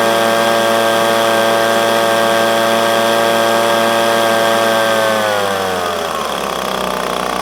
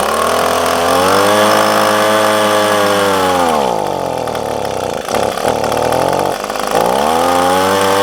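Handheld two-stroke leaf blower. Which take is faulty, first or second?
second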